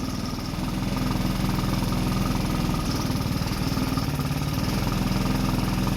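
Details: Rebuilt 150cc GY6 engine in a Blade 150 / RZR170 clone UTV, cold day, just started: steady putter about three and a half beats a second, slightly fast and unsteady; idle set high, nothing really hooked up yet.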